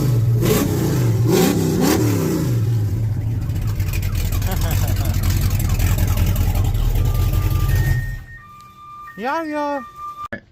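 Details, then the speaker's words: 1967 El Camino, 355 small-block Chevy with Vortec heads and big hydraulic cam, after installing PRW 1.5 full roller rockers and adjusting valves: deep, even V8 rumble with one clean rev and smooth return, no ticking; idles smoother and less choppy than before. "Running good. Crazy. It sounds completely different."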